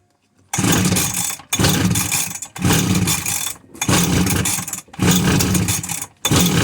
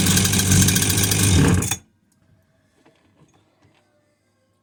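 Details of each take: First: Husqvarna 345r brush cutter, unused all winter, with a new NGK plug, fuel squirted into the cylinder and choke on: six rough bursts about a second apiece that die each time, indicating a fuel problem; engine fires briefly after priming. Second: Husqvarna 345r brush cutter, unused all winter, after a new plug and priming the cylinder with fuel: busy two-stroke buzz running evenly for under two seconds, then silence; normal running.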